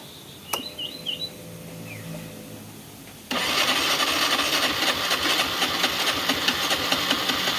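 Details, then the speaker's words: Honda Revo Fit fuel-injected motorcycle, kick-started: it cranks and sputters harshly and only fires with wide-open throttle; compression feels very light, and the mechanic suspects leaking compression. "gini nah seperti itu ya permasalah nya jadi dia enggak bisa langsung jreng cek jreng gitu enggak bisa jadi di gas besar itu baru nyala mesinnya ini juga gitu ini kalau saya rasakan kompresinya benar-benar enteng kompresi kayak kompresi bocor"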